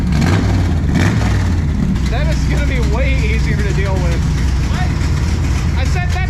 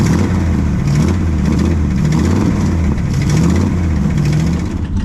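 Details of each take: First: Classic Mopar drag race car after exhaust welding, with a no-choke race carburetor and jets not yet tuned. It runs loud, deep and steady as a throaty V8 rumble with no knocks or misses. The running is normal, just very loud. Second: Classic Mopar V8 drag car at idle with throttle blips: a loud, lumpy idle with a raspy puffing edge, newly audible, from a leaking exhaust sleeve, i.e. an exhaust leak.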